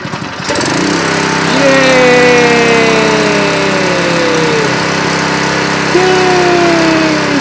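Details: Nearly new Honda WB20XT water pump with GX120 engine that would not start, after carburetor cleaning: started on choke, fires quickly and holds a steady buzz, easing slightly in pitch as the choke comes off. Normal running.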